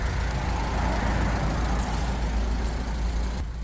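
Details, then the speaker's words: Audi TT 1.8T BAM 225, 23 years old, just bought; oil light, loud ticking and oil leaking onto the floor on the drive home. Two days later it starts and idles with a steady, even low rumble and no ticking or knocking. "so it might not be as bad as I thought listen to this [Music] it's running no crazy"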